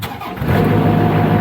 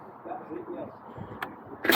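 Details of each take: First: Niftylift HR21D SP64D MK2 diesel engine starts instantly and runs steadily after repairing a wire that was blowing the fuse and causing error 01009B05 (under voltage); relays click, no faults remain. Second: Niftylift HR21D SP64D MK2 diesel access platform, error code 01009B05 (extended-side VBB1 under voltage), after a few seconds' glow: engine cranks steadily, about three beats a second, but does not fire or start; no glow plug power.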